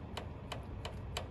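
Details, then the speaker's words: 2007 Land Rover LR3 4.4L, 105,000 mi, startup rattle: four sharp metallic clicks as the variable cam phaser is rocked by hand against its stop; lock pin does not engage, owner believes worn tolerance causes the rattle. "and i got no lock it doesn't lock at all the pin doesn't go in so my gear and my lobes are on the center of the cam but no lock"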